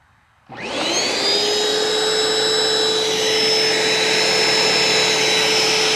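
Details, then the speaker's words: Bissell ProHeat Essential carpet cleaner, curb find fitted with a replacement cord: the motor spins up quickly to a steady, even high whine with no grinding or rattle; the motor sounds okay. "well I would expect some drips and stuff in there but uh motor sounds okay seriously that just doesn't seem that bad"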